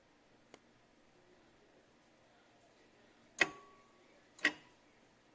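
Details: 2007–08 Nissan 350Z (HR) during the cooling fan active test: sharp single clicks about a second apart as the relays switch, but no fan whoosh, and no fan ever turns on. Fans or relays suspected; cooling fan relay clicking, fans not running.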